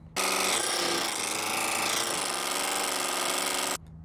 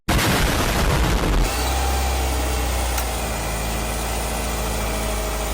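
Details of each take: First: Subaru Forester with an EJ engine: a harsh, fast rattling knock at about four per second, steady for a few seconds, sounding like rod knock but caused by the timing belt. Timing belt tensioner knock. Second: Subaru Forester EJ engine after timing belt tensioner replacement, timing cover off; starts and settles into smooth, even idle with steady low hum, no knocking or ticking, much better than before; normal idle.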